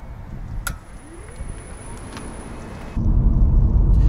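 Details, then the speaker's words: 2018 Nissan Leaf after the first attempt at adjusting the front hubs: a sharp single snap from the front wheel over low road rumble as the car pulls away. The suspected hub creaking was later fixed on the second attempt. "that snapping noise basically developed pretty much the next morning after I started working"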